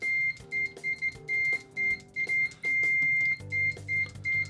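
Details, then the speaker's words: ANENG V05B multimeter in continuity mode with stock test leads: shrill single-pitch beeps in broken, uneven bursts instead of one solid tone; loud but slow continuity beeper that misses every other latch. "have that nice visual as well as the audible so not the fastest definitely misses every other latch but it is loud latched i think really doable"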